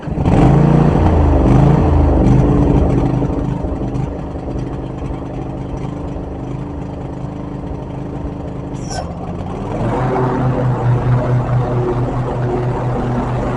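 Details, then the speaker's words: Riding mower after a new battery, new spark plugs, cleaned fuel line and carburetor and a new fuel pump; steady engine drone, then the note deepens as the electric PTO engages the blades, working normally. A weak battery had kept the PTO off. "I'm gonna start the mower and you will hear that PTO engage because I got a new battery."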